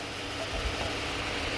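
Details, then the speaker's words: Honda Civic transmission, K20 swap, new gear set after fixing no-first-gear problem, case modified for second-gear clearance: steady even whirr on bench, no grinding or knocking; normal gear spin. "let's see yep no noise no more noise everything looking good"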